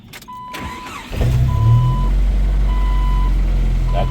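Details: Jeep TJ, hot restart after connector check while scanning for O2 sensor codes, not in gear: brief crank catches at once, settles into steady even idle, chime in background; clean restart.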